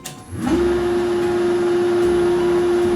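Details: Milling of the connecting rod for a vertical model steam engine. Hard surface, 0.5 mm first cut, medium feed, speed lowered one step. Spindle spools up, then holds a clean steady tone with no chatter: smooth stable cut.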